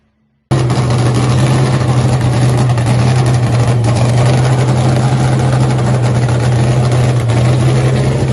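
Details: Hemi-powered Cuda nitro funny car, first fire-up after a 3-year home build, before nitro is added: fires hard, then settles into a loud, deep, steady idle with even firing throughout. Healthy start and idle.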